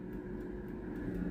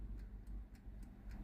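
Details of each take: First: Philips NA120 air fryer after repair (had no heat and fan not spinning; fixed by bypassing basket tray switch): steady fan whoosh with low hum, no rubbing, fan keeps running with basket out, timer and temperature cut normally. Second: Philips NA120 air fryer that won't heat, set to 200°C: only a light steady timer tick about four per second with no fan whoosh; fan and heater dead, food-tray plastic switch checked first.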